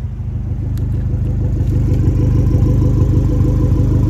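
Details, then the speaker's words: 2017 Fiat 500 Abarth four-cylinder idling, heard from the rear at the exhaust: a deep, smooth, even burble that is mellow and steady. No misses or ticks, and it does not sound like a four-cylinder. "as you can see it's got a very mellow sound and it does not sound like a four cylinder at all"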